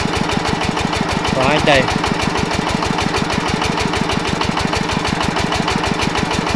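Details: Yanmar 105 single-cylinder diesel walk-behind tractor engine driving a water pump for sugarcane planting: heavy, fairly steady beat about three per second with a hard knock each stroke. Engine knock under load, cause unconfirmed.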